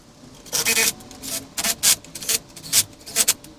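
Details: 2005 Nissan Altima: short raspy rubbing bursts about every half second, dry and high-pitched with no engine beneath, from inside the door; cause unknown, possibly a missing bolt.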